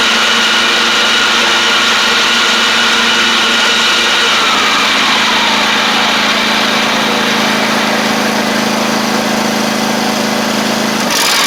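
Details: John Deere D140 riding mower, once blowing fuses, with nearly new spindles: an even engine drone with a light, steady deck whir and no screech or bearing howl. The spindles are loud but quieter than before; normal deck running.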